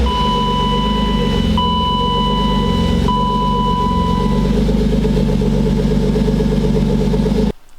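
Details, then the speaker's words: BMW E36 325is petrol engine with rough-idle complaint, idling with throttle position sensor unplugged: even, fairly steady pulse, high warning chime in first seconds; runs much better unplugged, TPS suspected, not confirmed. "So the throttle position sensor, once it's unplugged, this car runs a hell of a lot better."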